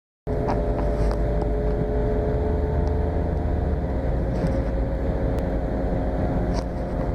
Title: 2013 Nissan Sentra making strange noise.